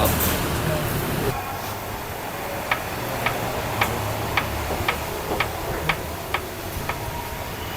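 Sharp, regular ticks about twice a second over a quiet running engine; an abnormal tapping whose cause isn't pinned down.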